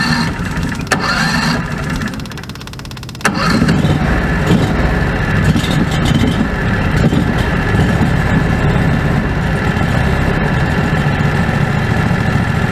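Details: Predator 670 after adjusting the stock carburetor (brass caps removed); fed by an electric fuel pump with a crankcase vacuum line. It catches after a short crank and settles into an even, steady idle with no hunting or surging. Factory idle was unstable; now stable.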